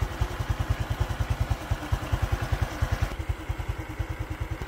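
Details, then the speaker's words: Honda Future 2014 motorcycle idling with a light metallic clatter and a taut whine from the cam chain; cam chain tensioner noise, to be replaced with an upgraded tensioner. "Rồi tiếng này là tiếng kêu tăng cam rồi nha Với lại s cam mình nghe cảm giác nó căng nó hú anh em thì mình về mình tháo ra cho anh em coi"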